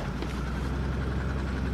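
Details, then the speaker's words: 2001 Buick LeSabre at low, lumpy idle with an uneven stumble and visible shaking; misfire code P0302 on cylinder 2 after sudden power loss while driving, cause not yet known; a slight tapping also heard. "I turned down a couple miles from my house turned down the road and I lost power and had a misfire show you still have a misfire you can kind of see how it shakes"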